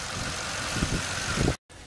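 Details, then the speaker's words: 2006 Toyota Tundra 4.7 V8 after secondary air valve repair (codes P1441, P2440, no longer present): steady even idle hum with faint hiss, no misses, surging or knocking; normal idle. "There it is, everything's back together, engine's running smooth, no problems."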